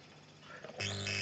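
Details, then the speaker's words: Subwoofer speaker just after mains power-on at 220 volts, laptop as input source: steady sizzling crackle with low hum through the speaker; bad contact at the female input jack. "qu est ce qu on entend un grésillement alors je diminue le volume voilà"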